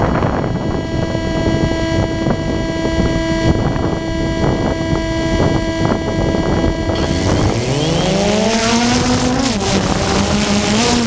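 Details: GoPro on a DJI Phantom 2 Zenmuse HD-3D gimbal: when plugged in, its recording picks up a steady buzzing hum with faint clicks, then a whine that rises and wavers as the motors spin up. Electrical interference noise, cause unknown.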